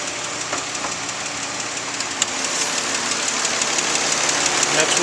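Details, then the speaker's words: 2004 Nissan Maxima 3.5 VQ, warm after an hour's running, hood open, fans off: a light tick about three a second at idle. Timing chains and tensioners were replaced three weeks earlier; the owner suspects lifter or valve noise in the upper valve train. "that's the sound I'm getting at idle the car's warmed it's been run uh for an hour or so now the um fans off you can hear it to me it sounds like it's the upper valve train whether it's the uh lifters or valve"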